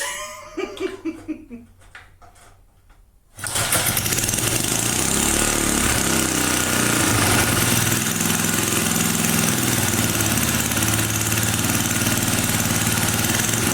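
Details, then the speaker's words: 1980 power tiller with Briggs and Stratton engine, after cover reassembly: catches and screams wide open at constant high speed with throttle handle in off position; owner suspects spring too tight or jammed flap inside. "yeah something is wrong because it's just on full scent mode and that's not correct"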